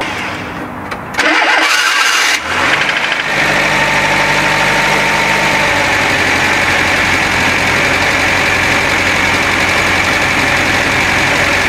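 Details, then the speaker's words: Renault Trafic engine restarted just after an oil change with 20W50 agricultural oil: the starter churns and a short clatter at start-up is thought normal after the drain. It then settles to an even, steady idle at the current setting. "Donc là, comme tu entends, c'est le ralenti tel qu'il est réglé maintenant."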